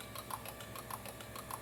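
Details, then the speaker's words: Injector number three from a 2022 Mercedes-Benz C300, bench-tested: crisp light clicks several times a second show it pulses electrically and resistance checks fine, but it does not spray fuel. "Y miren como este inyector ya ni siquiera está trabajando. Sin embargo, él pulsa y cuando le chequeas aquí la resistencia en OVNIOS, en milenryos, perdón, el inyector número tres marca bien, pero no trabaja."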